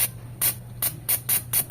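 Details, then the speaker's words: Mitsubishi Lancer 4G92 engine with a misfire; number three fuel injector tested on the bench with 12 volts and fluid, giving seven crisp, even spray bursts over a low hum, a healthy spray pattern. "Ayan. So goods 'to goods 'tong number three."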